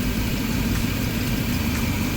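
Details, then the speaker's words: 35-year-old Chevy RV engine after vacuum-line cleanup and timing adjustment: steady low rumble around 800-820 rpm with 19 inHg vacuum, no misses or knocks, some background roar; idle still to be adjusted; acceptable normal idle. "okay 19 inches of uh mercury there not too shabby uh running about 800 rpm 820 rpm maybe 8 10. got to adjust the idle on there"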